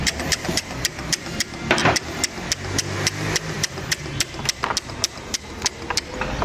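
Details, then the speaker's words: Mercedes-Benz GLC 250 engine bay at idle under load: sharp metallic clacks, three or four a second and unevenly spaced; worn alternator overrunning (ratchet) pulley bearing, and an AC compressor pulley with a lot of play that must come off. "Ahí está el problema, ¿ya? Hay que ver el rodaje y la polea ratchet, ¿ya? La compresora definitivamente hay que sacarlo porque esto tiene bastante juego."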